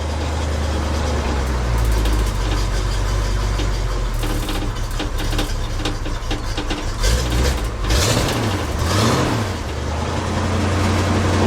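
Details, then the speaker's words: K30 fire truck with new mufflers fitted and a repaired coil, warming up after start: a deep, steady, even idle with no knocks or misses, sounding healthy. "her warm up a minute here I think it sounds okay alright I think I'm gonna take it for a ride"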